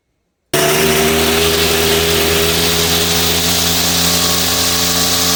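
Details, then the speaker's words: Strimmer unused for years, first start after tightening screws; sharp buzzy two-stroke note starting abruptly and holding a fairly steady high pitch; idle may need adjusting, possible fuel leak, split fuel pump. "Now I've got two issues. One, a possible fuel leakage. Two, you might need to change the idle, but they might not be an issue."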